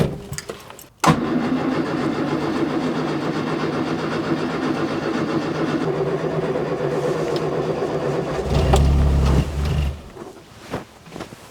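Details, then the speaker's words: 1970 Morris Minor Traveller after SU carburettor rebuild with new parts, first start before carb adjustment: catches after a short crank, runs with uneven hunting beat and brief rev before dying; rough running, mixture still needs setting. "hey well she might not sounded too good but she started so let's see if we can get her running a little bit better"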